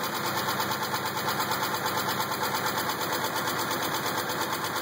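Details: 2000 Pontiac Grand Prix GTP petrol engine at idle: steady, even knock about three beats a second, not sounding like a rod knock; owner doubts flexplate, suspects a spring, cause unconfirmed.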